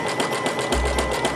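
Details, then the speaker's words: Sewing machine zigzagging in place many times with flat Sulky Opal sliver thread, in the candlewicking technique, to build a crystal-like knot; quick, even needle chatter at about five stitches a second over a steady motor hum. "you're just going to zigzag in place many many times this is coming from an old heirloom technique called candlewicking"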